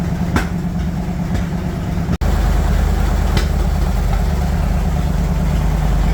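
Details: Bombardier wide-gauge snow machine with about 300 hours of rebuild work, idling after throttle screw adjustment with air breather off and bay doors open: steady, even low rumble, no knocks, misses or surging; normal idle.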